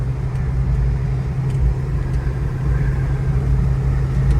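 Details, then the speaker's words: 1984 Ford Mustang GT350 Fox body driving on the road: a deep, steady engine rumble that stays smooth and even with no knocks, misses or stumbles. The engine runs well and sounds normal. "Runs good, dude. Everyone tries to race a Fox."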